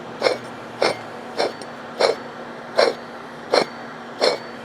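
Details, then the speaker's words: 1999 Pontiac Grand Am GM LD9 2.4 Quad 4 Twin Cam in rebuild: the timing-chain-driven water pump shaft is turned by hand near the mic, giving raspy bursts about 80 a minute. The shaft isn't loose but the bearing is dry and rough; seal/bearing failure expected, pump to be replaced. "usually when you start to hear that sound it means the Seal's getting really dry and uh seal and or bearing failure usually follows relatively soon"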